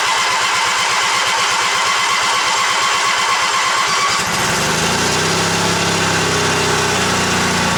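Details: Old Yardman tractor with 4-speed rear end, owner thinks 1979, first start after sitting 4–5 months over winter, choke out; about four seconds of even cranking, catches at once, smooth steady idle.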